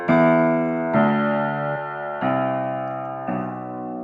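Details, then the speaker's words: Fisher apartment grand piano, a repeated hammer note sounds really tubby, dull and boomy, lacking ring and clarity; owner says humidity compresses the hammers more, and the uneven hammer felt needs voicing. "haven't that's a really tubby one that's tubby Plus"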